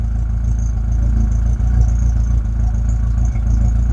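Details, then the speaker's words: Rover 25 GTI, 1.8L VVC 143 bhp, warming up after a troublesome fuel filter change: steady low idle with a faint uneven beat and brief dips, plus occasional backfire; not sorted, cause unknown. "Yeah, there's still a little bit of what sounds like backfire every now and again."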